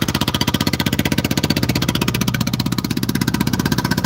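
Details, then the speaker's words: Small 159 cc single-cylinder scooter engine at idle after starting: quick, even putter with steady beat, no misses or knocks; normal healthy idle. "Listen to her purr, guys. Listen to her purr. That's 159 cc's of pure fury right there, guys. Listen to that beautiful purr."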